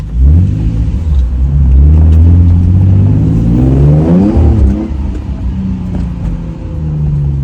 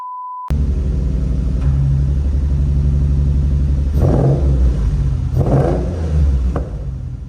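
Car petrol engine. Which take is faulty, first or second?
second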